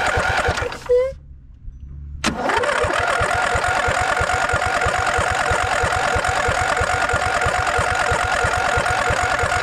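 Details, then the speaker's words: Snapper LT200 riding mower that cranks but won't start, before repair: a brief crank, then the engine catches and runs rough with uneven pulsing. Gas bubbles in the filter and isn't drawn through it, pointing to a failing vacuum fuel pump. "Don't want to burn out the starter. It's not happening now. You can see gas isn't being sucked through this fuel filter."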